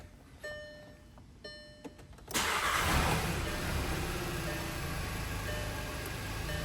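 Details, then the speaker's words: VW/Audi Gen 3 EA888 1.8/2.0 TSI cold start after new oil filter housing with anti-drain-back valve: quiet clicks, engine catches and settles to a steady even run with no lasting rattle; normal cold start. "You should hear no rattling noise overnight cold, an hour cold after shutting it off. All right. It should be nice and quiet and no."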